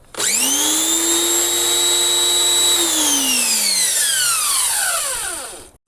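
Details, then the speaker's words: Harbor Freight Portland 63254/63255 electric pressure washer after rebuild, water connected. The motor whines up to a steady high pitch, holds a few seconds while priming, then winds down and stops cleanly: normal priming run. "So it should stop once it's done priming, which it did."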